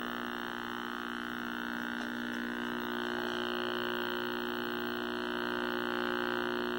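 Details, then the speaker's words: 1960s Philco S-1262BK black-and-white vacuum tube TV during servicing; steady low harsh buzz whose loudness tracks vertical size, also weak sync and poor IF response, chassis to be pulled: vertical buzz. "and we still got that obnoxious vertical buzz"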